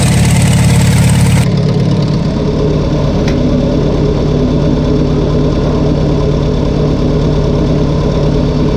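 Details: Farmall 140 industrial tractor, sat in the woods over 10 years, restarted after freeing the stuck engine and valves, on choke with a possibly weak battery and stuck clutch: it catches into a lumpy, loping idle, misfiring, cause not yet known.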